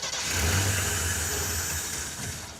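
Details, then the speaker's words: AMC Pacer with Holley Sniper 2-barrel EFI cranking: catches briefly and wants to run but won't pick up; electric fuel pump not heard priming on key-on, no fuel delivery. "It sort of wants to run. I wonder if it might just be out of gas. Well, the fuel pump would still run. You would hear it go, Cranking. okay? Yeah, it's got no fuel."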